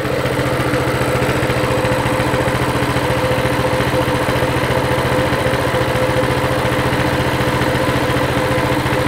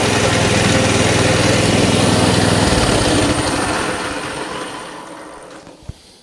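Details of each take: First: Mini bike with non-adjustable carburetor that took off on starting, idle being adjusted, throttle return spring off: steady single-cylinder putter, no hunting or misfire, idle around 1750–1900 rpm, sounds better. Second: Coleman CT200 mini bike with non-adjustable carb that lurches off when started, clutch ruled out: single cylinder idles at 2450 rpm against a 1700 ± 150 rpm spec, fast steady buzz then winds down; high idle speed.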